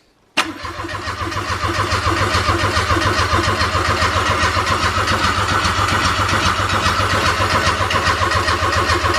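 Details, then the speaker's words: Freshly replaced Daihatsu Mira Avanzato TR-XX 660cc turbo engine, cranked with the coils disconnected, to build oil pressure: the starter spins it at an even beat of about two pulses a second, never catching; healthy crank, oil pressure came up. "we're going to disconnect the coils and we're going to see if we can crank it over and and just to get oil pressure up and make sure it'll crank over i suppose"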